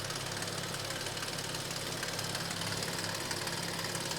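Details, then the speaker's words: An Audi S6 at hot idle right after a hard autobahn run has a fast, fairly regular light clatter, about three taps a second, first heard at a traffic light and worsening; the source is unknown and metal shavings in the oil are a concern: engine rattle at idle. "Ja, Kollegen, bin gerade über die Autobahn geballert und ich sage euch gar nicht gut. Also Leistung hat der volle Pulle, ne? Aber hört ihr das Geklapper?"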